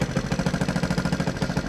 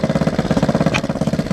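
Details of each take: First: XR100 single-cylinder, first start after 6 years stored and rebuild, new carb, idling on choke: even steady putter, no misses; owner wants timing and carb checked, says idle drops toward stalling with choke off. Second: Rebuilt XR100 single-cylinder, warm, idling with choke on: lumpy uneven idle with a sharp exhaust pop; owner suspects slightly off timing or back pressure from a two-stroke exhaust on the four-stroke; idle screw adjustment didn't help.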